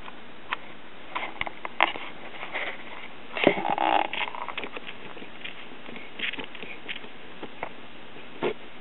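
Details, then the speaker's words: Realtone pocket transistor radio on a bench power supply, before its capacitors were replaced, with tuning slugs possibly turned in: a steady hiss and crackle with scattered pops and very little reception. "but we have no reception I'm not surprised no correction we're getting a little reception but not much"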